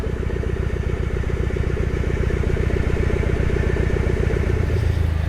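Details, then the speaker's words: Long-stored car with 104 (thousand) miles, first crank after sitting with oil in the pan: steady heavy knock about 2.5 per second over idle, suspected rod knock; after running a while and building oil pressure the knock went away. "almost oh we got rod knock I don't know how long this thing hasn't been started for oh yeah you could hear it bad"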